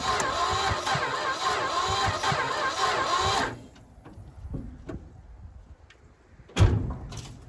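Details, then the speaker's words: Old vehicle that hasn't run in a while, with a strong smell: a slow, dragging crank for about three and a half seconds with no catch. Turning over too slowly to fire; owner suspects the battery. "All right, something's not right because it stinks to high heaven and it's turning over really slow. So let me figure out what that is. Maybe it's just this battery."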